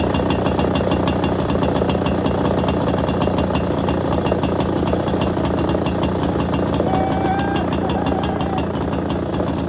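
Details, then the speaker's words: Ner-A-Car single-cylinder engine, rebuilt project, first-ever start with choke on and throttle: crisp, regular firing beats keep an even rhythm with no knocks or misses; normal running. "well I think I think that's a success isn't it"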